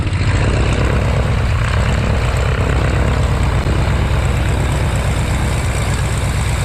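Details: Warner Super Scarab 165 hp seven-cylinder radial in a 1933 Great Lakes biplane, first run in 54 years after 12 years of restoration: loud, even, throbbing beat with prop wash roar, settling into a healthy idle; normal run.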